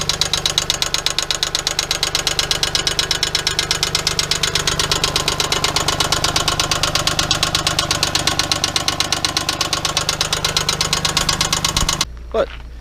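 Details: '97 Geo Metro 1.0 L, spun rod bearing after an oil leak: sharp, even knock about three times a second over the idle, steady with engine speed.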